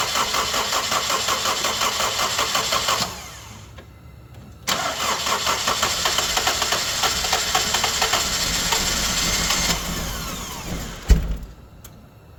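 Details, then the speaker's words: Honda CR-V engine with bad coolant temperature sensor connected (under distributor), sometimes starts: starter churns about three beats a second for several seconds, twice, engine barely catching; hard start from faulty coolant temperature sensor. "so this sensor I'm going to show you guys what what it does with it and what it does without it and then you guys can judge from there or so you guys can hear it run okay so right now it has the bad sensor connected and this is what it did"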